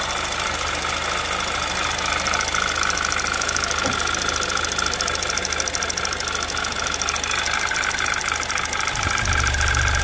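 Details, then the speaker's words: 2011 Audi TT Quattro 2.0T TFSI finally running after engine damage repair, chilly day, oil pressure about 40–45 PSI; light fast uneven ticking over idle comes and goes, noisy lifters possibly still filling with oil. "Lifters are a little noisy. Might just take a while for them to fill up and kind of just figure out what the hell they want to do."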